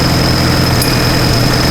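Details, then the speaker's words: Engine that had been misfiring, possibly with a piston striking a spark plug: steady running with a thin, high ringing ping over the exhaust note; cause not confirmed. "Sounds like something. Maybe something's fucking with the Oh."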